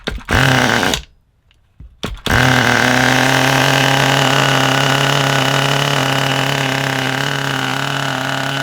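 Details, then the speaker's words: Kyosho nitro RC car with GX12 engine, long unused, started with fresh glow starter: catches after a couple of tries, then steady buzzy idle, slightly burbly and soft; suspected a little rich, not confirmed. "That sounded great. Did you hear that? I think it's a little bit rich."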